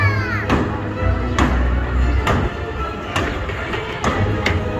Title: great old horses carousel with awefull ticking noise